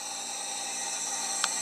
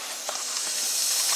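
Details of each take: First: 6.0 Powerstroke with the driver's valve cover off, after fittings were torqued to 155: steady high-pitched hiss of air bypassing the IPR valve, no high-pressure oil leak, otherwise quiet. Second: Ford 6.0 Powerstroke, driver's valve cover off, air leak test of the high-pressure oil system: steady high-pitched hiss, with gurgling near an injector, from a leak suspected near the injector/standpipe area.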